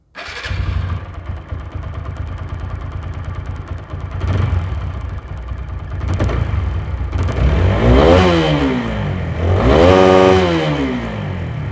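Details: TVS Apache RTR 4V motorcycle after its engine noise problem was repaired: starts promptly, idles with an even beat, then two clean revs rise and fall smoothly with no knocking or rattle.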